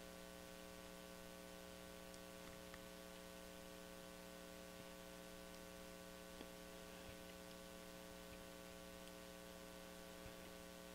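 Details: Brentwood DRF 60 solid-state record player with a test signal applied at the cartridge pins; only steady mains hum and faint static, nothing passes through. Dead signal path; foil connections are suspected broken or oxidized.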